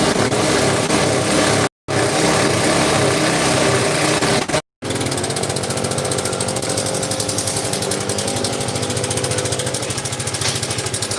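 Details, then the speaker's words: Yamaha Vega ZR idling: fast, loose clattering from a cam chain that is far too slack with a worn tensioner, plus rattle at the clutch housing. The engine smoked and stalled on its own. "kalau saya dengar yang jelas rantai keteng Udah kelewat kendor terus atletnya juga udah murai haus"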